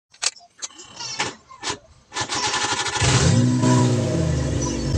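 A few clicks, then the engine cranks, catches at once and settles into a steady, even idle. A clean, healthy start.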